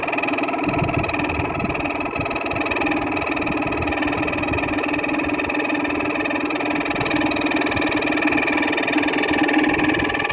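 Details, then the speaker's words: 2000 Whirlpool air conditioner after about two years of neglect outdoors: constant fan motor hum under the airflow with a dry rumbling whir and faint fast ticking; worn fan motor bearing noise. "these bearings are not are not in the best of condition quite delicious i have to say on his viner on his vintage units bearing noise is not is a lot worse compared to shot bearings on a modern unit"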